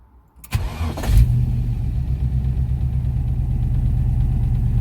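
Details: Ford Capri V8 project, warmed up, low oil pressure at 1000 rpm idle: starts and idles with a dull even knock underneath; owner suspects rod knock/spun bearing, not confirmed.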